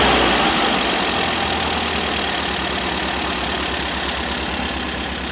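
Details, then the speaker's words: 1973 VW Super Beetle 1760cc air-cooled flat-four with dual 40 carbs and new exhaust, first fire-up, idle tuned on carbs, not yet static timed; fast light ticking chatter at idle, valves to be readjusted; ticking chatter, valve clearance suspected. "We'll go back and uh adjust the valves again, make sure they're all good because it does sound a little chattery."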